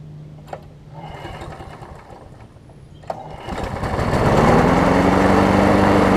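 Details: John Deere JS63C walk-behind mower after new flywheel key, oil change and carburetor bowl cleaning of sediment and old gas; two pull-cord snaps, then engine catches and climbs to a steady, even hum with no surging or misfire.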